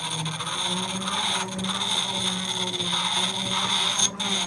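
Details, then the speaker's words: Restored antique Carborundum hand-crank grinding wheel, early 1900s, clamped to the bench with no tool rest and the wheel slightly skewed: an even high-pitched scraping squeal against steel. Few sparks, but it removes metal normally. "not many sparks but it is taking metal off"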